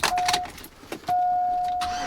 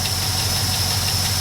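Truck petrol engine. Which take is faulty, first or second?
second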